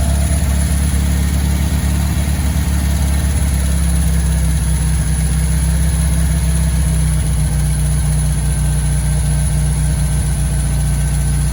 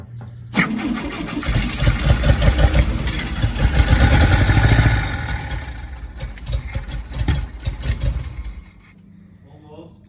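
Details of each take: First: 1965 VW Beetle after a long while sitting in a garage, running after the carburetor was tapped for a suspected stuck float: deep, even idle hum with a steady low drone and no misses or knocks. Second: 1965 VW Beetle garage find on a fresh battery with about a gallon of gas added. Even cranking at about three turns a second; the engine spins freely but never fires because the fuel pump is not delivering gas.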